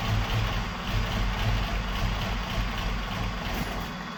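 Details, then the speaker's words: Opel Manta hatchback with Ascona front, just started after about 20 years sitting, still on old plugs and unchecked points and distributor: a low, lumpy rough idle with an uneven beat and stumbles, barely holding itself running. "but that sounds like a bit of a beast Happy Days that's have a mess about see if we can get it to run a little bit better"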